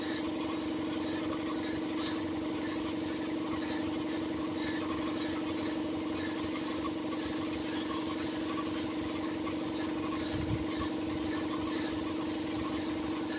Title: compressor making a weird noise 😕🤔😒